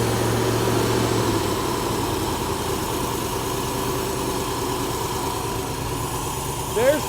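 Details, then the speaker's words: Mercedes V8 idling fast at startup despite the idle adjustment screwed all the way in, then dropping to a lower idle as the sticking throttle linkage returns; fix is lubricating the linkage. "Why is it idling so fast? I mean, the idle adjustment's all the way in."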